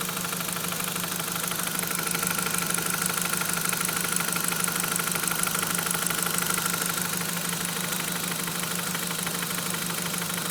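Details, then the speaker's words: Audi TT 1.8T at idle with a steady rapid knock of about three per second that started randomly. Owner guesses it is timing or head related, unconfirmed; unexplained internal engine knock. "Okay, I'm gonna try and demonstrate the noise I'm hearing now. Randomly started in my TT. Not good at all."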